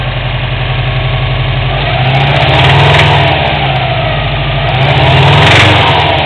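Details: Subaru WRX at steady idle: regular tapping knock about four per second over the exhaust note; engine knocking sound.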